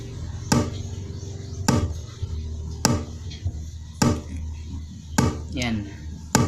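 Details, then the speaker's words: Speaker with no audio playing: steady, dull drum-like knocks about once a second over a low hum; a disturbing knocking fault inside the speaker, cause not found. "But may tumutunog sa speaker kahit hindi siya naka sounds. Ayan, sobrang disturbo po yung tunog na yan, parang may nagda-drum sa loob."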